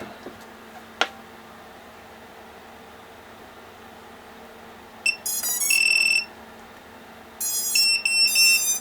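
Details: HGLRC XJB 143mm quad after 4-in-1 ESC replacement, powered via smoke stopper: two short bursts of high, clean stepped beeps over quiet background; normal ESC initialization, motors spin.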